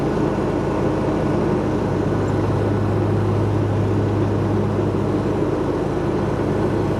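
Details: Hustler Raptor SD zero-turn mower after deck and spindle rebuild for thrown belts: steady, even engine drone with a smooth low hum and no knocks or misses; running healthy.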